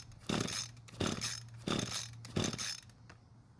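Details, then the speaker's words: Free curbside Echo two-stroke string trimmer, kill switch on and purge bulb primed full: four pull-cord strokes with rattling whirr, no firing at all; cranking no-start, fuel not reaching engine or no spark suspected. "so it didn't even try and start now there's either no fuel getting to the engine which means we have a carb issue or there's no spark getting to the plug"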